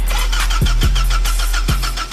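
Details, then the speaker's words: Clark C30 forklift with a no-crank, no-start complaint, battery at 12.8 V, cranked with the solenoid power wires held on: the starter spins hard and fast with even compression pulses; normal cranking, fault traced to solenoid power wiring. "she cranks quite strong."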